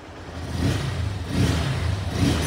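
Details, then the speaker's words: Honda Hornet motorcycle after valve clearance adjustment, idle rpm stable: clean, even rise and fall through three throttle blips, no top-end ticking; normal revving. "भाई एकदम perfect और एकदम नीत और clean sound ए रहा है इसका एकदम मजा ए गया इसके आवाज को सुनकर"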